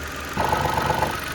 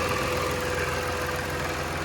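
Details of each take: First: Mitsubishi Mirage at idle before new rubber bushings are fitted to the air filter housing. A buzzy rattle starts abruptly over the smooth idle as the loose housing vibrates, worse when cold and with the AC compressor running. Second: Mitsubishi Mirage idling with A/C compressor running after adding rubber O-rings to air filter box mounts; steady smooth idle, no rattle or vibration buzz from the air box.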